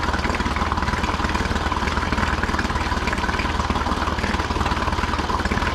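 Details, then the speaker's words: Older Honda BF40A 40 hp 4-stroke pontoon outboard right after fuel line replacement, air pumped out and primer bulb firm, started without choke: steady low thrum with regular firing beat, no stumbling or surging; normal idle. "So now we're going to see what she sounds like on the startup with uh gas line opened up, no air. Not bad. No choke on that."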